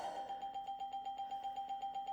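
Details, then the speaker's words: Windows 98 startup ding on a 1998 Gateway G6-400XL (400 MHz Pentium II) with a swapped-in sound card repeats about six times a second at one pitch, stuck looping; same fault as before, sound card suspected, later replaced. "okay it's same problem that's distressing now let's see if the the windows ding will get stuck"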